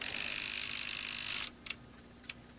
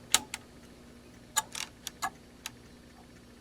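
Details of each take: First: ASTAR DVD player after mechanism oiled and adjusted, drive belt unscrewed and loose: brief high whir then light isolated ticks as laser sled settles, normal sled drive movement; owner suspects limit switch not being made; disc still would not read. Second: ASTAR DVD player, no disc loaded, powered on: laser sled moves and ticks with sharp dry uneven clicks over faint hum; mechanism seemed stuck, owner suspects a limit switch not being made, old dried lubrication; oiled mechanism afterward.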